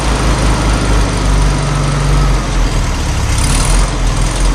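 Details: 1972 VW Super Beetle revived after about 20 years storage, carburetor cleaned: deep, steady air-cooled flat-four idle, loud and even with no knocks or misses; running healthy.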